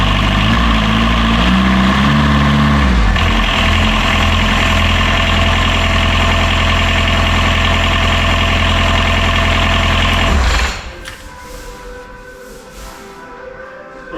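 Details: Catamaran diesel genset on the bench, belt-driven water pump removed, after repeated failed starts in the boat, owner suspecting fuel flooding, not a motor fault; even steady idle clatter, no misfire or knock, then clean shutdown: normal idle.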